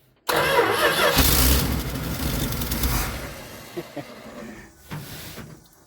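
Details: 1973 Dodge D200 pickup, 360 V8 with 727 automatic, sitting eight years; catches after brief crank, runs rough, then sags and dies on throttle because float bowls have no fuel yet, leaning it out: lean stumble when starting.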